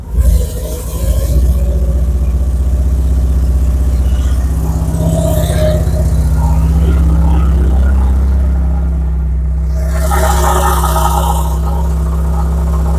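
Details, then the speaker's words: Porsche 944 stolen and left a year in the woods, first start after reconnecting the engine signal wire to restore injector pulse. It catches and settles into a steady low rumble with a couple of throttle blips, running evenly. "so let's start it up let's hear it run for the first time"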